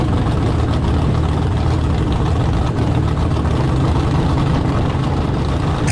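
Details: Carbon-fiber jet boat with a rebuilt 632 ci big-block Chevy, running without a launch profile: a loud, steady full-throttle roar without stumbling, cutting out or bouncing off a limiter. Running strong.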